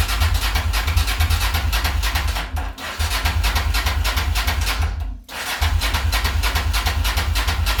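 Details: Honda Transalp XL600 twin after replacing cracked carburettors, no leaks: steady lumpy twin-cylinder beat at a low idle, no misses or stumbles; pulls well on test ride, idle a bit low. Normal running after carburettor replacement.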